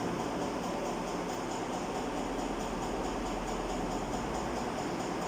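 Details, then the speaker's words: Ceiling fan after slow-speed fix, cup reseated so it no longer rubs: steady even airy whoosh with faint hum, no rubbing or scraping; fan now runs smooth at good speed. "பார்த்தீங்களா, பாருங்கள் இந்த ஃபேனு இப்போது நல்லா ஸ்பீடாக ஓடுது."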